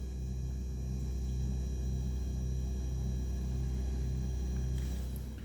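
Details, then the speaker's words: 2023 Beko refrigerator, two weeks old, set to minimum, recorded about a metre away near the compressor: a deep, steady transformer-like hum with slow throbbing, measured around 50 dB versus 37 claimed. The compressor runs almost constantly, off only about an hour per day. "холодильник в эксплуатации примерно 2 недели с момента покупки постоянно такой шум компрессор выключается буквально на час за 24 часа работы"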